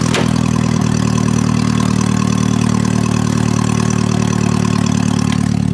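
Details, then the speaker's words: Junk car ("Bayou Blaster") long dead and resurrected to pull down a tree; petrol engine catches and settles into a steady, even idle with a low regular beat, no knocks or misses; normal idle. "guys the bayou blaster just started we brought it to life"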